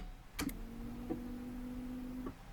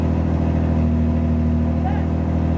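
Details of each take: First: 1986 Pontiac Fiero GT, sitting unstarted about five years with past battery problems: after key-on, a quiet steady electric hum for about a second then stops cleanly; normal fuel pump priming. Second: 1986 Pontiac Fiero GT, first start after about five years sitting, manual: cold engine on fast idle, steady smooth low drone held high, no knocks or misses, idle still coming down while warming.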